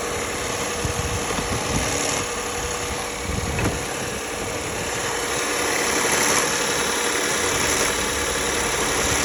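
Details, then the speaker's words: 2009 Lexus ES350 at idle: faint, uneven wobbling whir under the engine noise at about four pulses a second, which the owner suspects is a bad water pump (unconfirmed). "Symptoms of a bad water pump on 2009 Lexus Es350. You need to hear the wobbling right there."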